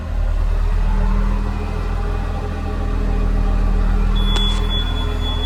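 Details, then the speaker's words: John Deere JD6081H diesel, 10,739 hours, in a 300D articulated dump truck parted out for differential issues: deep, even rumble at about four beats a second with no misses or knocks. A healthy idle that runs great. "I think I saw, it must have that exhaust gas thing, but it runs great."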